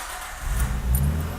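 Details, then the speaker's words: Petrol car idling with low, soft muffled exhaust rumble, now barely audible after bolting a pipe into an otherwise full straight-pipe DIY switchable loud/quiet exhaust; would get louder if revved. "can barely even hear the car now"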